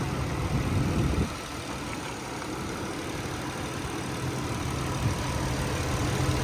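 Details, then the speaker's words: 1997 Nissan Stagea 25RX, RWD non-turbo automatic, about 110,000 km, fresh oil and air filter, hot start: warm engine settles into a smooth, steady whirring idle, likened to a hairdryer, no ticking or misfire; healthy. "now we'll do a hot start I'll show you guys what the motor sounds like here sounds like a hairdyer for the most part but it could be worse"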